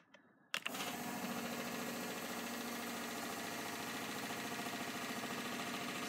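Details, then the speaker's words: Bosch 044 and Facet Posi-flo fuel pumps in surge tank setup on 89 Nissan Bluebird carb-to-injection conversion, both running: click then loud, even whir with light pulse, drawing under 11 A together; working fine. "Just have a look at all this running now. So it is quite loud, as you can hear, but it's working fine."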